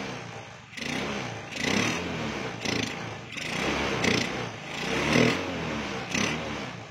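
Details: Honda Beat, standard engine, with an untuned PE24 carburettor that puffs black smoke at high rpm: repeated blips up the rev range sound thick and blubbery at the top end; running rich, main jet and needle need changing.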